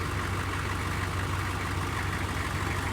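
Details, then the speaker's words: 1995 OBS Chevy 6.5 diesel sat about 20 hours, glow plugs cycled before start; steady, even diesel clatter at idle with deep low rumble, no misses or knocks; normal idle. "okay it is that is pretty much the way it started when we first got this thing running [Applause] it runs good"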